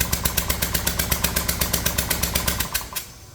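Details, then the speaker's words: Kia Sportage 1.7 diesel at idle, then shutdown: hard regular chuffing about four a second with sharp clattery puffs as compression blows past one leaking injector seal, oil and dirt everywhere; fix is cleaning injectors, new copper seals and a new rocker cover. "So I didn't know Kia made tractors, but apparently this one's turned itself into one."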